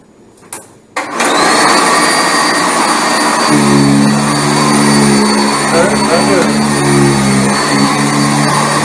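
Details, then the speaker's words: Sanitaire SC679J upright vacuum, belt just refitted on the brush spindle, pushed across carpet: steady high motor roar, then a deeper hum cuts in near 3.5 seconds as the brush touches the carpet; pitch change shows height set correctly. "But you're going to hear the pitch change, and that's how you adjust these vacuums."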